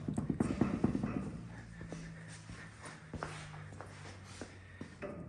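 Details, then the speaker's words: 2022 Can-Am Maverick X3 XRS Smart Shox on a lift: rough clattering spin, then sharp ticks about every half second as the wheel turns; suspected bad wheel bearings. "hear that yeah those are bad wheel bearings we'll take care of that another day"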